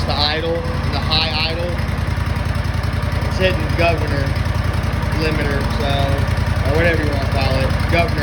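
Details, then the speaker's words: Replacement engine on an Exmark Lazer Z zero-turn mower, just started with some throttle and full choke: steady, even single-cylinder drone held at fast speed with no misses; runs well but the high idle needs adjusting. "grab it up a little bit definitely need to adjust the"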